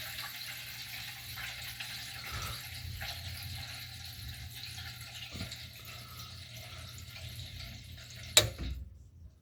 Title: new well expansion tank installed starts making gurgling noise at the end of the fill cycle.2 yr old